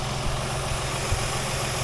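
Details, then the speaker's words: 2007 Dodge Nitro after idler pulley replacement: steady even idle with a smooth low hum and no squeak or chirp from the belt drive; squeal gone, normal idle. "so now that we know the noise is all all gone I hated to have to button you know button all this up first and then turn it on being stupid and have a noise and have to take it all back apart"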